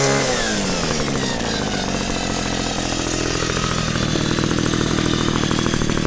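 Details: Cheap two-stroke string trimmer, six to seven years old, running after a no-spark fix and ignition coil replacement: buzzes at a high, fairly even speed, picks up slightly and holds steady. Normal running.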